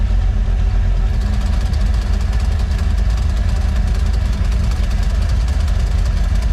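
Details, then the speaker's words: Boat sterndrive engine idling on first water test after bellows and seals replacement: uneven metallic rattle, two or three per second, over low idle; owner suspects a loose valve near the exhaust that wiggles. "If you can hear that rattling noise or not, but that's the that set valve."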